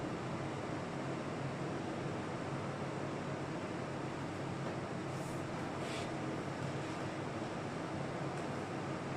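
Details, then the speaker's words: Old Carlton air conditioner running in a 30-degree room: a smooth steady fan rush with no compressor hum underneath. The fan blows warm air but the compressor won't kick in, and it is still not fixed after an hour of stripping it. "It's baking hot. I've spent an hour pulling it to bits. I'm getting nowhere with it, and it feels like it's just going to keep blowing out hot air."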